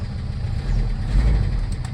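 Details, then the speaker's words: Toyota Revo diesel after fixing crank-no-start with no check-engine light, traced to the ECU/fuel/starter relays: low, steady rumble settling to an even, lowered idle with no misses or knocks. Normal idle. "Yun guys, maandar na siya. Ayun Ayun at bumaba na ang minor niya, mababa na ang minor niya."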